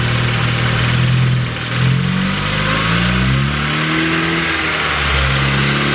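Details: Ford Focus ST with a newly built engine (Speed Performance pop-n-drop kit), on startup during its first runs. Note sags and wavers as it catches, then revs climb unevenly before settling; bogging, cause unclear.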